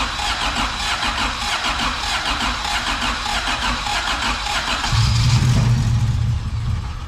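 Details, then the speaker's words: Acura Integra on first start after an engine and transmission install, with the IAT sensor unplugged and injector wiring possibly wrong. The starter churns steadily for seconds without catching, then a rougher note despite plenty of fuel pressure; air in the fuel line is suspected. Crank, no start. "you have plenty of fuel pressure keep going no just try start it might have air in the line"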